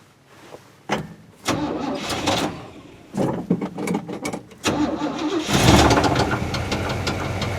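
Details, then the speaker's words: 1973 Chevrolet C10 350 V8, 4-speed: choppy cranking, then runs loud with rough knocking undertone that varies; seller says bad rod bearing, owner unsure. "Listen to that. He said the motor had a little bit of a rattle. A little bit. does a little bit of a rattle."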